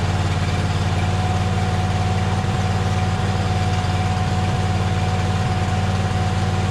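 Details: John Deere Z425 zero-turn with a swapped-in donor V-twin, idling after the belts were refitted: steady, even low thrum with a smooth regular beat and no knocks or misses. Healthy idle.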